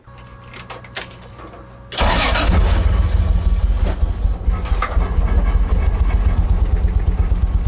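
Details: 2JZ-swapped Nissan 240SX on first start-up, turbo lines and vacuum ports not all connected: catches after a brief crank, then settles into an uneven, lumpy, wavering idle; rough idle, owner suspects vacuum leaks or the O2 sensor.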